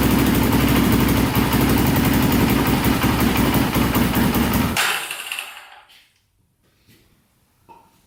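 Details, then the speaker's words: Polaris Predator 500cc quad after a compression/valve repair, choked start with a temporary skinnier flywheel key: strong, even single-cylinder thumping for about five seconds, then winds down and stops; otherwise runs healthy. "you know fired up right up pretty much right away after i choked it and it sounded really good like i said before"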